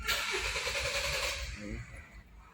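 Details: Kia Sportage/Hyundai Tucson, crank-no-start complaint: starter spins briskly about a second and a half but engine never catches; cause found to be a loose camshaft position sensor connector.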